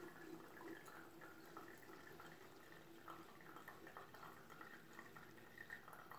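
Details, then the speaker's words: Presto MyJo 12 V single-cup coffee maker, pressed down slowly by hand: soft, steady gurgle and hiss of hot water flowing evenly without sputtering; normal brewing flow. "It'll sound just like the Keurig when it's done and sounds like it's blowing air through."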